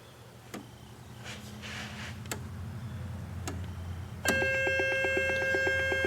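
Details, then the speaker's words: Transistor tester on low-power, low-drive setting, checking the failed protection-circuit transistor from a Pioneer SX5570: a steady beep pulsing about four times a second with a warble. The warble is not from the transistor; the tester's audio circuit is suspected (dry capacitors or a leaky transistor). "Now that warbling that you're hearing there, that isn't because of the transistor. I think this may need a little bit of work. Maybe there's some dry capacitors in that audio circuit, or maybe even a leaky transistor in it."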